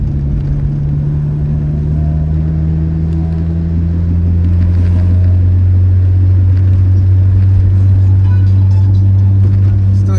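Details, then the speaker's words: Car driving after a CV axle replacement: a steady low hum-whir over the road noise that climbs slightly with speed persists; the source is unclear, while the clutch is also a concern. "the woring noise but at least you know at least I know that I'm safe on the road and my axle is safe"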